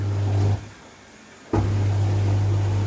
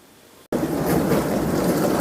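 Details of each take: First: Dishwasher switched on with the wash light lit: steady low motor hum that briefly drops out and resumes, but it never starts washing or takes in water. A faulty valve is suspected. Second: 21-year-old dishwasher that stopped washing when water pressure dropped, after cleaning clogged filters including the cold-water inlet filter: quiet hum, then the wash pump kicks in with steady rushing spray and water swish. Running normally.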